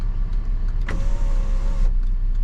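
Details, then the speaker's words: GMC idling with normal temperature, about 14 V battery and good oil pressure: sunroof motor gives a smooth, steady electric hum about a second long, starting and stopping cleanly with no grinding or clicking; sunroof healthy. "I think this could be a good seller so we'll see we'll see later this thing but sunroof Works beautiful pops up like"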